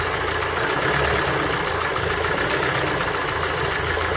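Engine running cold with a fast, uneven tapping riding under the hiss of revs; a cold-start knock, cause not pinned down.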